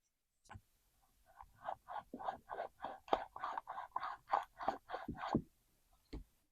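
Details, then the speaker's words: Stihl 036 chainsaw that won't start, crank turned by hand with the mic close: quiet gritty rasping bursts about three a second, worn crankshaft bearings; fuel line also found rotted. "the crank bearings have a bit of noise to them I'm going to put the mic up so you can hear"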